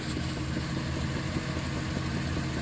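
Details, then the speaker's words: 1997 Dodge Grand Caravan SE, engine and transmission just replaced, idling warm with the fans off: a soft, regular thump thump coming from the charcoal (evaporative emissions) canister; cause unknown. "there's a Thump Thump thumping coming out of the charcoal canister what the hell man this thing's got all kinds of weird noises"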